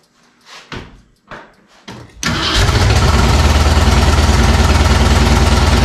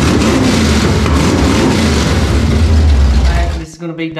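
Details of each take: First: Rebuilt Ford 302 going into a 1967 Mustang, first test crank after fitting headers: a few cranking bursts, then a lumpy uneven idle pulsing about three times a second; rough running because the Trick Flow cam was for a 351, later changed and retimed. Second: Rebuilt Ford 302 V8 in a 1967 Mustang, quick start on uncapped open headers after cam timing corrected: loud, choppy deep rumble firing evenly for a few seconds before shutoff; runs properly.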